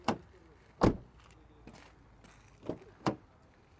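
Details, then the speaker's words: 2016 VW Passat Highline 1.6 TDI DSG, 164,000 km: passenger-side door closing, several clean solid single thumps of a well-adjusted latch; passenger side shuts much better than driver side, whose door adjustment is suspected to be off. "Sürücü tarafının kapı ayarı muhtemelen bozuk demiştim. Bakın, yolcu tarafı çok daha iyi."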